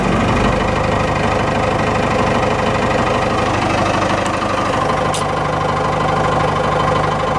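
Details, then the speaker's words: Cummins 4BT diesel with starting issues, just primed, lots of compression: idles unevenly with irregular lumpy beat; owner notes last time it ran like this there was air in the fuel system; miss inconsistent, cause unconfirmed. "but now you hear it it's you'll know what it misses I've seen it comments miss before it it's not consistent like this"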